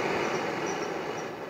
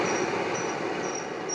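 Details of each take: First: Propane forge gas burner lit at the end of the burner with enough pressure. Steady, even rushing roar with no sputter, popping or flutter. The burner burns cleanly and operates correctly. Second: Propane forge gas burner lit at the air holes or at too low pressure, possibly low tank pressure; it needs an adjustable 0–20 psi regulator. Steady roaring hiss with faint intermittent high whistles. The flame burns at the air holes, not the burner end.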